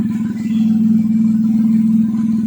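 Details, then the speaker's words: Kancil converted to Japanese AVY turbo engine, just started with the cooling fan on: even, steady idle, smooth low hum and gentle regular pulsing, no knocks or ticks. Engine judged good; no smoke from breather or dipstick, only exhaust smoke from oil. "Okey keeper dah on. Enjin enjin oke enjin cantik ah. cantik."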